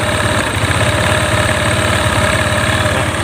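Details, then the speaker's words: Honda Click 125 scooter, hard starting and poor acceleration, no fault codes, after replacing a bent valve: idle chugs unevenly with occasional hesitations; idle stumble, suspected faulty ECU box, wiring checked fine. "เครื่องจะมีอาการแบบคล้ายๆสะดุดเหมือนกล่องรวนน่ะนะครับ"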